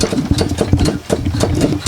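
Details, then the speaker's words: Free lawnmower, deck propped up, engine running: idle with irregular scratchy rasps several times a second; scraping goes away when the blade is pushed up, so owner suspects blade sitting too low or flywheel scraping on something. "i don't know if you can hear that uh it's like a scraping noise but if we push the blade up it's gone something has something to do with this blade that's sitting too low or it's the flywheel that's scraping on something up in here"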